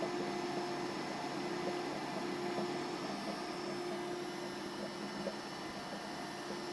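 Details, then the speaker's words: Orbitalum Orbimat 165 CA orbital welder power source, quick function test with start weld: quiet steady hiss and pump hum with cooling water and gas running, faint short tones over the top; welder and cooler running normally. "So for a quick function test, we'll do a start weld. Water's running, you can hear the water running. Gas is also running there."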